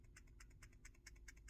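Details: Samsung S22 Ultra 10x zoom camera module, faulty unit shaken in hand: quiet, quick, irregular light clicks from a loose internal rattle, compared against a new module that is much quieter.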